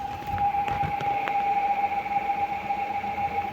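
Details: 2023/24 Fiat Cronos CVT automatic, 53,000 km, heard from outside with a gear engaged: a loud, deafening high whine around 800 Hz with a fainter tone above it, which stops when shifted to Park; cause suspected, not confirmed.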